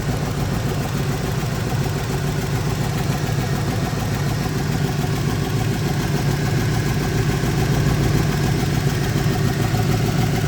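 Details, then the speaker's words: Truck started with a jump starter after a dead battery from long sitting; idles with a rough puffing exhaust note, about three to four pulses a second, from an exhaust leak; 13.9 V afterwards. "As you can probably hear, I got an exhaust leak. I got some problems, man, with this truck."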